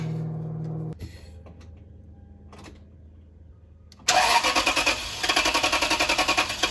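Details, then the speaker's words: 2007 Toyota Sequoia 4.7L, restarted after cleaning a very dirty part; catches and settles into a steady, even idle with no stumbling, no longer running rough, battery voltage healthy. "Look at that. Look, it's not running rough anymore either."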